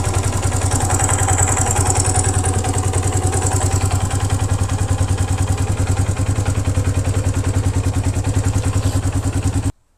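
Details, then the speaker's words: 1982 Honda XL250R single-cylinder idling with a steady tick-tock clatter near 200 per minute, heard from the top end; top-end engine noise. Owner suspects valve clearance, piston rings or piston pin; cause unconfirmed. "Okay, we heard this noise. The noise is coming from the top end."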